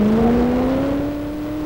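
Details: Super modified pulling truck under full load during pull: clean, steadily rising engine note, no misses, pops or rough patches; engine sounds healthy.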